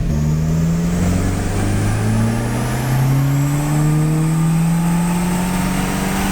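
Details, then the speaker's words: Mitsubishi Evo on a dyno with a Turbosmart e-Boost2 controller and SP value raised: the engine pulls hard with a steadily climbing drone and the turbo ramps up boost noticeably quicker and smoothly. "So now we can clearly hear that the response of the turbocharger has changed and it ramps up a lot quicker."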